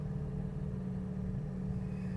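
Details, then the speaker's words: Cavalier with a GM four-cylinder, 73,811 miles, battery a little low: steady, even low idle with no knocking, ticking, banging or clatter over the exhaust note; a normal, healthy idle. "we'll see what happens to grind off it sounds like a typical GM chevy four-cylinder"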